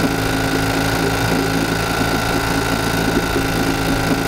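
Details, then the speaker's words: 1952 Johnson Sea Horse 5 hp outboard (model TN-28), revived after sitting 50 years and before its overhaul: slow, sparse putter with gaps where the second cylinder should fire, barely running; it is running on only one cylinder. "it's crazy that's still running it's going so slow"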